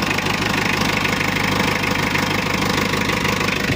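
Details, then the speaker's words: Mitsubishi L300 diesel after injection pump overhaul and 12mm rotor head upgrade, set for a smooth sound: steady even idle clatter, no hunting or misfire; only the exhaust sounds less than ideal. "ini kita hidupkan mesinnya [Musik] mesinnya kita setting untuk suara halus"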